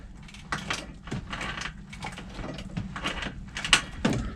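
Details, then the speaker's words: Rieju Marathon 125 supermoto project bike: irregular clicks and dull clunks as the front end is moved, from completely shot steering head bearings needing replacement. "you hear that clicking sound uh basically that's the steering head bearings they're completely shot so they're gonna need changing as well"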